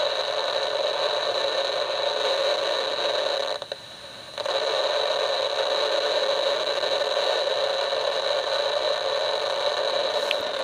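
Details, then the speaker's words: DIY AM superhet receiver, just finished, antenna on temporary clip leads: loud steady hiss and crackle with faint tone, brief mid-clip dropout; heavy static at certain tuning spots, owner doubts the bench is causing it, no station received. "a lot of static right there and I'm not really sure where that's coming from but I don't really think there's anything on the bench that's causing it"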